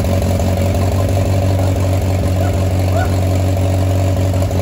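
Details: Oliver 550 tractor, first start in a reported 30+ years after ignition and starter rebuild, choked, to be run only seconds with no water pump belt: steady, even low rumble with a smooth firing beat and no knocks or misses; runs like a top.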